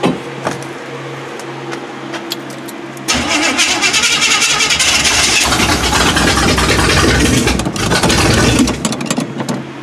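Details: 1979 Chevy K20 V8 on a supposedly rebuilt but never-tested carburetor; quiet ticking, then it catches and roars unevenly for several seconds before fading out. Timing seems off and a line may be leaking.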